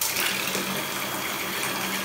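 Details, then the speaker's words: Household water booster pump after its knob was adjusted to fix uneven water flow: a steady, even motor hum under a smooth rush of water, with no surging or jerking; the pump now runs properly. "Đây nước rất là đều này. Tiếng máy kêu tròn vo. Đấy, tiếng máy kêu tròn vo, không có giật."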